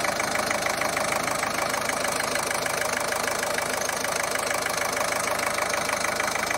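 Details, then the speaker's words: Ford 1.5 TDCi diesel idling after repair of a jumped timing belt that broke the rocker arms, bent the valves and damaged the camshaft. All damaged parts were replaced. It gives an even, steady clatter with no misses or knocks, still adapting but running smoothly. "ale tak jak widzicie po kulturze pracy Sob bardzo ładnie za niedługo będzie można szklaneczkę postawić będzie sobie ładnie równie"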